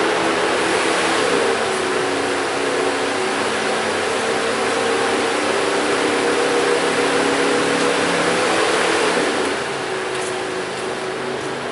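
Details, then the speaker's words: 2006 Mazda 6 V6, key on engine off, PCM fan signal at 0 volts; loud steady airy fan roar keeps running then eases after delay at key off, cooling fan module failed, fans stuck on. "sounds like we better give Mazda a call get a new cooling fan module"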